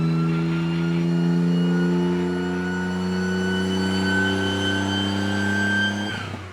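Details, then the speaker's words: Small car run with its damaged turbo disconnected after turbo filter was ingested through the blades into the intercooler: steady high engine drone with loud whooshing, jet-like roar that cuts off; testing if drivable without boost. "we tried running the car without the turbo hooked up just to see if the car was drivable"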